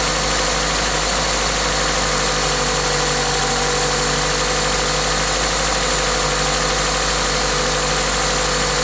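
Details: Toyota 2ZZ-GE engine with an induction kit: smooth, even idle, no knocks or misses, with a strong steady hiss from the induction kit's open air filter; normal idle.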